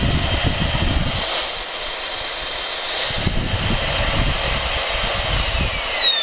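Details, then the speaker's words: Small motor from a generic Chinese "Gale Force" cyclonic vacuum cleaner, run on a variac: loud steady high whine sagging in pitch near the end, no crunch or grinding; bearing healthy, just noisy. "noisy little bastard i've never had him like this before bearing sounds still all right in it you can usually hear that horrible crunchy noise when they're starting to go"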